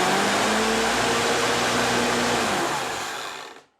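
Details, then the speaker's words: Sun Joe electric lawn dethatcher that would not stay running, now running after the motor was removed and the brushes serviced; steady even motor whir with a smooth high hum, then a clean spin-down; normal motor run after repair. "I actually did get it running. Right now she's all plugged in. And I'm going to go ahead and turn it on."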